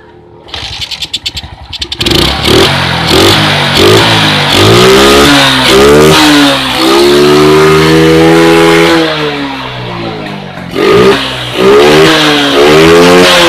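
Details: Suzuki Smash motorcycle after an ignition fix, plug tested without its cap: starts and idles well, revs cleanly with no bogging or stalling; the fault had been ignition, with a weak battery suspected.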